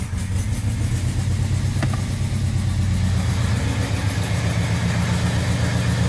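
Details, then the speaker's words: 1978 Scirocco with swapped 24v 2.8 VR6, first run: deep steady drone with fast rough puffing chuff over it; suspected exhaust leak, noisy muffler. "I don't know it sounded okay kind of exhaust leak noisy miler something going on over here"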